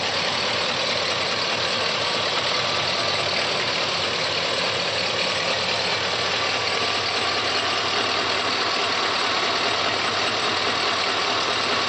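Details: 2004 Chevrolet Silverado 6.0 V8 idles with a fast, light, steady ticking from the valvetrain. It persists after the lifters were replaced; cause unconfirmed.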